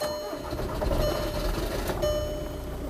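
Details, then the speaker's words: 2004 VW Touran 2.0 TDI 136 hp AZV diesel, just after tandem pump replacement (leak was de-priming fuel system) and priming with ignition on: fires, catches and settles into steady even idle, no stumble, no fuel leak. "donc là il a démarré on va juste voir si tout va bien s'il y a plus d'un coup et voilà s'il y a pas de fite au niveau du carburant"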